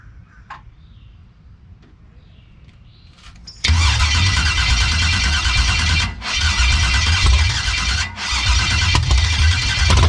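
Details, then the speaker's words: 1989 Box Chevy with a new starter, battery getting weak, starter seen disengaging properly: about three cranks a second with pauses, sounds like it wants to fire a few times but never catches; crank no start, fuel lines dry. "She sound like she want to do something a few times. Trying not to kill the battery."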